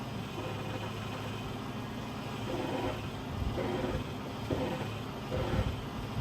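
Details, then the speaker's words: Damaged passenger-side front strut, believed from the accident, on a 2005 Chrysler 300C 5.7 Hemi wreck rebuild; recorded through the open sunroof, a faint creak about once a second over a quiet idle. "that is from what we have found the uh passenger side strut and I'm going to say that happened in the accident that this car was in"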